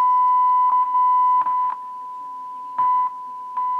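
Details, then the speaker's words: Realistic STA 2100D amplifier back under warranty, driven by a signal generator into speakers while the board is tapped: a steady test tone jumps louder and softer with each tap. An intermittent, failing pink capacitor. "so yeah that's our problem right here is these capacitors these pink capacitors are failing on me"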